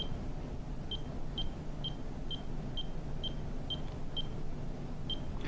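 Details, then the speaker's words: Pacemaker mode dial set to 2x: short, clean high-pitched beeps evenly about every half second, around 130 a minute, the pacer firing at double the set heart rate. "it speeds up so whatever your heart rate is set at it winds up going double of that"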